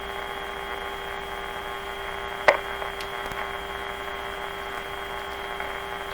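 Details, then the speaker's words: 1925 Magnavox Type D TRF radio fed a 590 signal-generator tone while the grid leak resistor is tested: a steady tone over hum, broken by one sharp crackle and small pops from loose floppy wires and a poor nail connector. "loose floppy wires. My nail connector's crappy."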